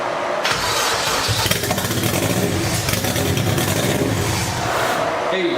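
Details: Toyota MR2 freshly built turbo engine on its first start, running an old turbo map with throttle manipulation before the new map and coolant bleed: loud, uneven, rough fast idle.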